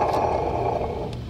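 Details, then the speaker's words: Car engine with serpentine belt removed, AC compressor pulley spun by hand; short rough grinding that fades quickly as it barely spins; worn AC compressor bearings, whole compressor to be replaced. "there's bad bearings in there also it doesn't even spin very far"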